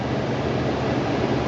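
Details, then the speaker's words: Forced-air furnace blower after repair, with the blower wheel re-centered and bolted tight on the drive shaft (motor ruled out): a smooth, even rush of air with no rattle, knock or scrape. Previously it made a horrible noise; now it runs quiet. "okay I have not tested it out yet so we are all going to find out at the same time oh yeah hasn't been that quiet in"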